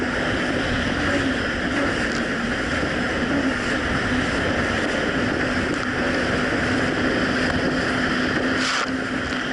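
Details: 2007 Yamaha VX Cruiser jet ski on choppy Lake Michigan after a $10 fix for surging and bogging, which a narrow gap probably caused: a steady, unbroken engine drone under wind and splash with no rise-and-fall surging; running healthy.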